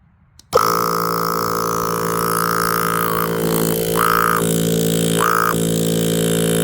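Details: Viair 480C air compressor from an onboard air system, after a rebuild following 2 years of use: kicks on instantly and holds a strong, steady buzzing drone at even pitch, no knocking or grinding; pumping normally.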